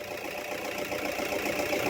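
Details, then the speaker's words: Toyota Hilux after alternator repair (worn bearing): steady even engine note swelling slightly as revved, no whine or squeal on top; noise gone, engine healthy. "So, ayun, wala na yung ingay. Rev! So, wala na yung ingay niya mga bossing."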